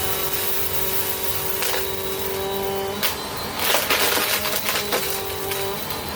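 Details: 2017 Bissell Powerforce Compact 2112 upright vacuum, curb find refurbished with its filter assembly adjusted to reduce a wind-down hoot: steady, even motor whine and airy rush, with no grinding or rattles.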